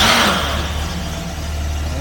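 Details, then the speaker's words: 1968 Jaguar E-type Series 1.5, stored all winter and with new parts fitted, cold-started on full choke: it catches immediately and settles into a steady, even low idle with no misfire; it still wants choke. A normal cold start. "there we go. Fires straight into life. Bring the choke down a bit. It actually wants it."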